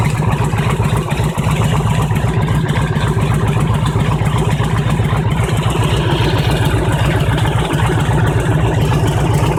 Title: Harley Engine Knock - when engine is hot